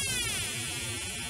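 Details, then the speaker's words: Homebuilt circa-1972 oscillator siren with push-button pitch, tapped directly at its connections: harsh warbling buzz with unstable sliding pitch instead of a clean siren; a partially dried-up electrolytic capacitor suspected, not confirmed. "this electrolytic capacitor is partially dried up it couldn't be open or the tone would be constant it couldn't be a dead short the circuit wouldn't oscillate at all"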